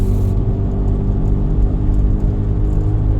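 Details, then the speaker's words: 2005 Lexus RX 330 on road test: steady low hum and growl, constant rather than engine-linked, from the rear; bad rear wheel bearing suspected, alternator charging fine. "That's a wheel bearing. That's a wheel bearing. That's a bad wheel bearing. Something's making a ton of noise back there. Sounds like a rear."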